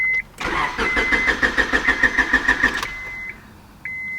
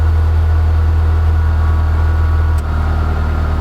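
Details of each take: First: Honda Civic, head gaskets replaced in 2019, broke down with a crank but no start. Starter churns steadily about three beats a second with no firing, dash chimes around it. Crank no start from fuel pump failure. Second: Honda Civic running again after a crank-no-start breakdown; cause was a hidden kill switch under the dash, bumped by foot. Smooth, steady four-cylinder low hum that eases briefly then settles, running cleanly.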